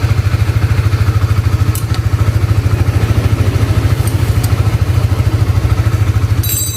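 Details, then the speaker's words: Honda CBR motorcycle with a rough-noise complaint, after reinstalling the cam chain tensioner rod, the only part replaced. Even, steady idle with no tapping or rattle, now smooth: normal idle. "Oke, sudah terpasang, dan kita akan langsung mengujinya, saudaraku. Nah, sekarang terdengar sangat halus."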